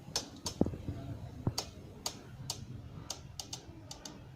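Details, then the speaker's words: Bajaj Pulsar 135LS disc brake, lever pressed then slowly released: scattered dry clicks and faint crackles about once a second from caliper; cracking sound indicates air in the hydraulic brake system, not physical caliper damage. "देख रहे हैं, ये sound आप सुनिए, ये cracking की जो sound आ रही है इससे पता लग जाएगा कि इसमें जो है सिस्टम में एयर पहुंच गई है।"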